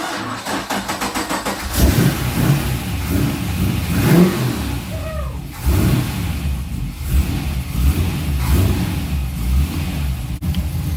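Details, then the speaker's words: Porsche 944 with a Chevy 6.0 LS V8 swap, first start after sitting six weeks, with fresh oil and filter and a six-year-old battery: regular cranking for almost two seconds, then it catches cleanly into a steady idle with oil pressure; a healthy start. "okay well the six-year-old battery managed to come back to life got oil pressure got oil"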